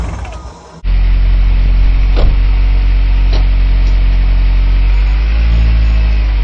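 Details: Healthy, smooth, deep, steady idle with no knocks or misfires on an R56 Mini after a big turbo build and subframe work, after it catches from a quiet start; normal idle.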